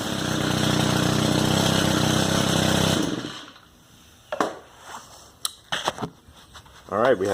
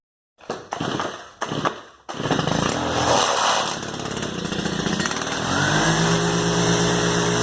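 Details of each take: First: Stihl FS110R trimmer, previously bogging and not revving, after carburetor replacement: starts on the first pull, then gives a crisp, steady high-revving buzz held for three seconds without bogging. Normal running. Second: Stihl FS110R two-stroke trimmer before carburetor replacement, catches and runs rough and uneven, sagging instead of climbing when throttled; engine bogging, won't rev, fixed by a new carburetor.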